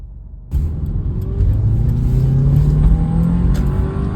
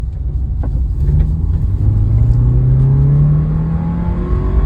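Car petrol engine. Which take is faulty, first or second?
second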